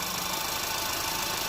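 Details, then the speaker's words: 2010 Audi A3 Cabrio 1.2 TFSI (CBZ), 99,640 km, just after a timing chain replacement, running with fresh oil poured over the chain: an even, steady idle with a bright top end and no knock or rattle. Normal idle, smooth running. "chodzi jak zegarek w autobusie troszkę pochodzić wszędzie musi napompować sobie oleju"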